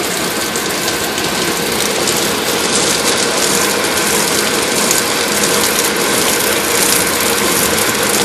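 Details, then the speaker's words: Water tower (swamp cooler) pump installed incorrectly, fed from the bottom through a sand filter, so pressure is upset: a constant hissy rattle with fast, uneven ticking and no water load; it has lost prime, runs dry and won't spray. "See, what we're looking for is we're looking for water to spray out an even constant. You literally can hear the"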